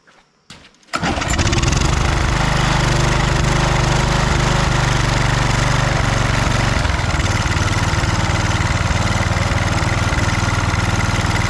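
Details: Husqvarna HU 625HWT string trimmer, a non-runner, starting on its own after priming with the air cleaner refitted: a quick pull, then it catches and settles into a steady, even high idle with no stumbling; runs fine.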